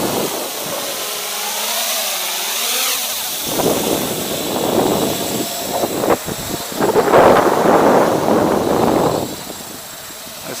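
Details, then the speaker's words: MJX Bugs 3 drone on a 3S battery: its high-pitched motor whine wavers and pulses when the throttle is kicked, an audible oscillation or judder in the motors (cause unconfirmed). "that's pretty cool but I can hear it oscillating now"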